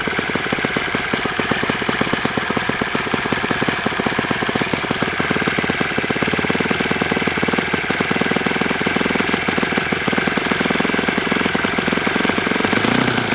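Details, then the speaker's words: Enya 46-4C four-stroke model engine on a Ron Sexton test stand with 12.7 prop: fast, rattly idle with a rough, clattering edge over a bright exhaust buzz; owner concludes it needs bearings and plans replacement. "Yeah, this thing needs bearings. And it's gonna get them."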